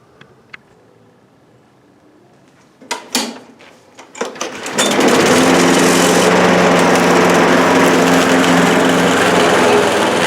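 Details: Bolens 21-inch 4.5 HP self-propelled push mower with new drive belt, first run in six months: a few pull-start thumps, then a steady, even buzzing drone while cutting grass; runs healthy under load.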